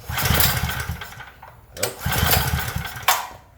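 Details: Craftsman generator, fuel on, choke on, switch on, oil seemingly overfull; two recoil pulls give brief chuffing bursts that die straight away; turns over but never fires, spark looks weak, carburettor suspected.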